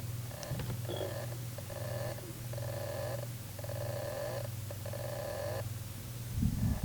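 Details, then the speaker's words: Toshiba Libretto 100CT laptop (Pentium MMX 166MHz, Windows 95), hard drive unused a year or two: repeated one-second whirring bursts cutting off over low hum; hard drive struggling to spin up, failing. "Well, I don't know if you can hear that, but it's certainly struggling. It's making some mechanical noises like it's trying to start up."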